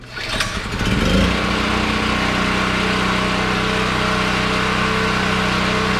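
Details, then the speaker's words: Generator switched from propane to old gasoline after being hand-cranked with its battery down to 10.9 V; the small single-cylinder engine catches and settles into an even, steady drone at constant speed, charging the battery (about 12.5 V): normal running. "we're running on gasoline now I'm going to let it run on that old gas and charge up that uh battery"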